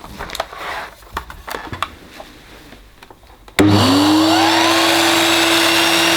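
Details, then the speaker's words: Electrolux 380 Turbomatic vacuum cleaner, dirty with a few issues, first run, fitted with a loose non-genuine hose: motor spins up to a steady high whine with a rough, uneven rush over it; sounds wrong, cause not pinned down. "whoof apologies again to any headphone users that's that doesn't sound that doesn't sound right does it folks"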